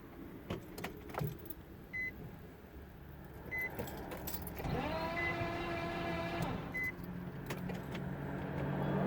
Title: 05 nissan maxima wont start engine wines HELP